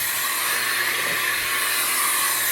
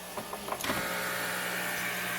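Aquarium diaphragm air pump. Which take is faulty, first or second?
first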